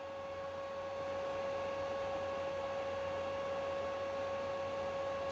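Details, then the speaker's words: PlayStation 3 CECHC after the overheating fix, CPU now at 66°C with the replacement fan: a steady high whine over a constant hum with no speed change. The fan makes a strange, rough background noise and is probably worn. "We are finally now under 68 degrees. 66 right now. But this fan, look, it makes some strange background noise."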